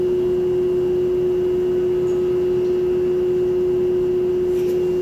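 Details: Lloyd inverter air conditioner installed April 2023, under warranty: loud steady hum like a held train horn note, present since installation and unresolved after two service visits; high-pitched humming noise.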